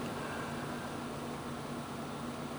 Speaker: if I go to this server which is my first server and I listen to this server you'll hear a fan that's nice and smooth and